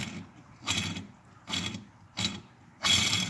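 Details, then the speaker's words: Rough, gritty rattling in short bursts as a loose engine crank bearing, knocked out of the heated case, is spun by hand; the bearing is toasted and worn out, the source of the grinding heard earlier. "Listen to this. You can hear this thing was toasted too. Bearing shot."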